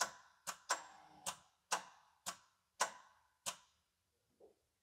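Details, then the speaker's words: Japanese turbo AWD manual tuner car, fuel system disabled for compression test (175 psi): about eight sharp uneven single clicks with no cranking; bad starter suspected. "think we have a bad starter. Every once in a while, it just kind of clicks like that."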